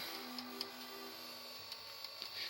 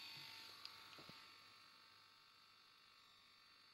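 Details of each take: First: Philips VR-600 Turbo Drive VCR (Philips mechanism), no picture: faint motor whir broken by irregular sharp clicks several times a second as a broken gear slips in the tape mechanism. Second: Philips VR-600 Turbo Drive VCR, cleaned, low hours: faint whir then quick light clicks and clunks as the tape mechanism threads and runs, sounding normal.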